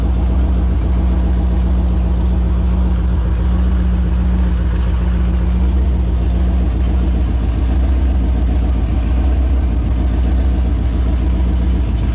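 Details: Holden 253 V8 on test stand after rebuild (new main and big-end bearings, honed bores, new rings, Yella Terra heads, new timing chain, gaskets): deep, steady, even rumble with no knocks or rattles; runs smooth and healthy.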